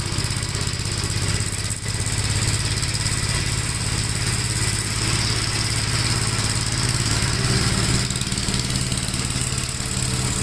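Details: 1957 Gravely with a smaller 12-volt battery fitted, mowing soaked grass: the single cylinder pulls steadily under load and the beat holds firm without stumbling or dropping off. The healthy engine cuts with power to spare.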